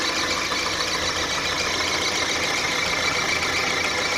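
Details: Engine squeak at idle on a 1.4 litre petrol Mark 4 Volkswagen Golf: thin, steady high-pitched squeak over a hissy, even idle; owner suspects a drive belt pulley or possibly the water pump, not confirmed.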